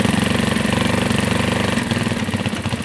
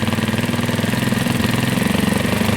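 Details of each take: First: Carbureted Janus 250 single-cylinder motorcycle at full operating temperature, idle screw adjusted to about 1,600 RPM (target 1500–1800): steady, even putter at a settled low speed with no hunting or surging; normal idle. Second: Carbureted Janus 250 single-cylinder motorcycle that should be at full operating temperature: quick, even thumping well above the 1,500–1,800 rpm idle target. The idle screw is set too high; it is then turned back down.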